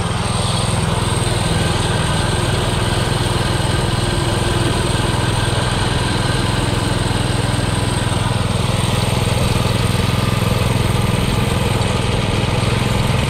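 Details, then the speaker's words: Baja Doodle Bug mini bike with Subaru 7.0 engine after a full weekend revamp: a steady single-cylinder drone at mid speed with no clear misfire but down on power; owner suspects a carburetion issue, not confirmed. "there's still some kind of carburation issue it's not as fast not really sure what's going on"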